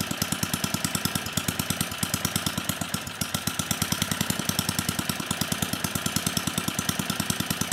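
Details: 34-year-old Tecumseh H30-35387Y on a Troy-Bilt Tuffy tiller 12060, previously no compression, running on a clone carburetor needing tuning: single cylinder popping at a steady beat, slightly uneven as the carb is set toward idle.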